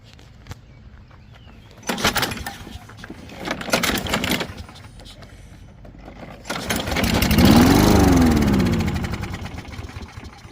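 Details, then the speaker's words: 2004 Toro Recycler 22 electric-start push mower, unused since last year: after carb spray and pull starting, several pulls catch and it runs a few seconds with rising pitch, then dies. The battery is assumed dead. "well we got it to fire off on that and I assume the battery is dead"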